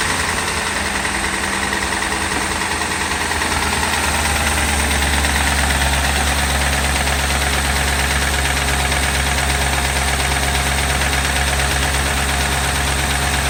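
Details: 2008 Ford Crown Victoria V8, just over 100k, idling with a dull, repeating knock under the steady rumble, roughly every half second; engine shot, owner suspects it was run low on oil.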